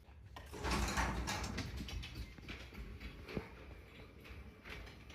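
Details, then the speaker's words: Garage door after the metal rollers were replaced with nylon ones and the chain drive swapped for a belt drive: only a soft low rumble as the door travels, no metallic clatter or squeal; normal quiet operation. "you can like come on here get closer you can just like talk like this and oh my God very quiet"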